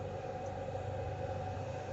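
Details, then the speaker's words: Eco-Worthy lithium charger mounted in a box, battery at 100% with all lamps on drawing current: the cooling fan kicks in with a quiet, steady hum, no rattle or scrape, running normally under load. "Et là je suis en train de tirer en fin de compte, et dès qu'en fin de compte le courant, il y a du courant qui sort en fait, le ventilo se déclenche."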